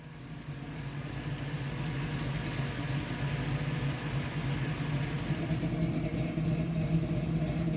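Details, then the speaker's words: 1969 Camaro V8, first start just after a Holley Sniper EFI install: fires and builds to a steady, even low idle with no knocks or misses. Normal idle. "There we got it. It runs. It's alive. Sounds good. Sounds good."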